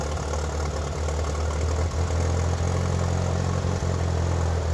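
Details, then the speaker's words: 1997 Mitsubishi Eclipse GSX first start after sitting almost five years, with new alternator, thermostat and cap and the exhaust reconnected: low, slightly uneven idle that wavers then smooths out; owner notes obvious vacuum leaks. "Started up nice and easy, running a little rough now. Much quieter since the exhaust is hooked up."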